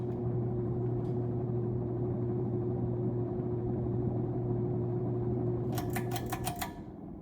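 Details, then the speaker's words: Sears Lasko turn-of-the-century 52-inch ceiling fan, likely winding-based speed control, about 0.8 A, on high: steady low buzzing hum, way too loud, then clicks as switched off; owner may replace capacitor, unsure if noise is normal. "Turn on back to high, which is way too loud."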